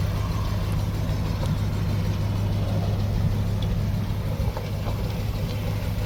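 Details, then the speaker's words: 1964 Dodge field find "Earlene", running after brake and tire work: a steady, fast-sounding idle with an even low rumble and no misses; the idle is pretty high (RPM unknown), and the owner plans to turn it down. "Yeah, she's pretty high idle. Yeah, you can hear the idle back here, so I guess I will idle Earlene down, and it might make the driving experience a little more pleasant for Anna."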